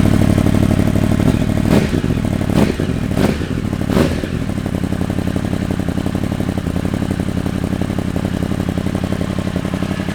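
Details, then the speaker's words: Freshly rebuilt Yamaha R1 race bike, first start with no coolant, just checking it fires: a few loud pops and sputters as it catches, then a fast, steady four-cylinder idle; rebuilt engine firing up normally. "right so we haven't got coolant in it but all I want to do at the minute is just make sure she coughs it splatters"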